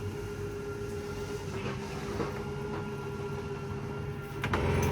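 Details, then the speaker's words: 2022 Chaparral 360IBL RV main slide-out extending on its rack-and-pinion drive: steady motor hum with light clicking at full extension, same on retraction; normal end-of-travel clicking. "These are all rack and pinion style slides, so you'll hear kind of a clicking noise once they're fully extended. Same thing when it fully retracts."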